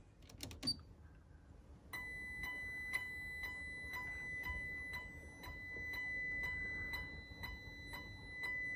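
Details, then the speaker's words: 1994 Precision Power Art Series amp (A404/A600) on an SMD Amp Dyno, dynamic test at 2 ohms, microphone held close in a silent lab. A faint high transformer whine pulses about twice a second with each test burst; this is normal. "hear that little whyme whyme whyme whyme yeah that's pretty cool"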